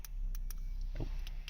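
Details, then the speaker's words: 2013 Mercedes-Benz C-Class W204 with its working key: several quick crisp clicks of the lock actuators with key jingle; central locking works normally and the car starts fine. "As you can hear, the central locking, and if I start, so central locking works."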